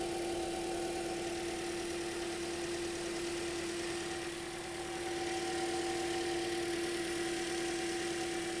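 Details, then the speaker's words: 2010 Toyota Corolla after radiator and coolant connector pipe replacement, warming up with heater on; radiator fan running on low speed: smooth, even idle with steady fan hum on top, no knocks or misses; healthy engine. "And then it's also important, you know, not only do we want this hot enough that the thermostat opens and we are really circulating, we also want to let it run long enough that we turn the the radiator fan on just to make sure that this is plugged in and it's still going to turn on, which actually it's on low speed rig"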